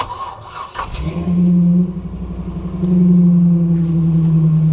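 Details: 1992 Jeep Wrangler YJ with swapped 5.3L LS engine and rebuilt AX15 transmission, started in neutral: cranks, catches in about a second and settles into a steady, even idle with no knocks or misses; normal start.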